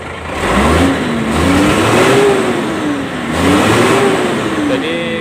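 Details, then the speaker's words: Hino Lohan 260 Ti diesel truck, fuel filter replaced the day before: revs sluggishly and unevenly, RPM won't climb cleanly, like air in the system; torn tank filter lets dirt clog the line to the injection pump, starving fuel. "Sepertinya pasokan bahan bakar mengalami keterlambatan, teman-teman. RPM tidak langsung naik. Rasanya seperti tersendat-sendat."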